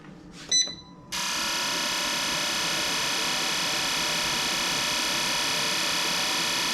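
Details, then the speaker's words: Fuel injectors on bench testing unit before rebuild, high-speed test: after a click, steady high-pitched even buzz without dropouts; injectors firing cleanly and evenly. "Okay, here's another test. High speed."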